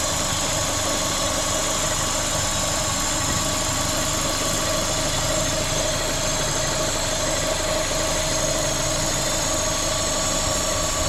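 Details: Corsa VXR with engine light, bogging under acceleration and a reportedly replaced engine: steady idle carries a constant airy hiss from a vacuum leak, traced to a cracked cam cover.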